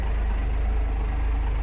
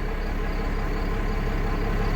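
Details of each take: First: Cummins-powered dump truck, 127,000 miles, started cold: deep, steady diesel rumble at a very low idle with no misses or knocks; owner thinks idle rpm is too low and notes it is a little cold blooded, but it runs well. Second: 1995 Dodge Ram 3500, 12-valve Cummins diesel with over a million miles, started cold ("cold blooded"): deep, slow, steady clatter that idles lower than expected with no speed-up; owner thinks idle rpm should be higher, unconfirmed.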